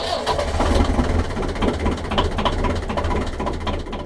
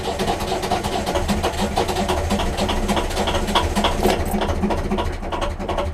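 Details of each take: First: 1.5 BMC diesel narrowboat engine after new glow plugs, bled injectors, 10 seconds preheat: catches almost immediately and settles into a steady knocking idle; starts much better, slightly less smoke and less lumpy than before. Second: 1.5 BMC diesel on narrowboat Laura cranking after glow plug preheat, around a glow plug change: steady cranking about three and a half turns a second with chuffing compression, catching but never starting, as it does every start.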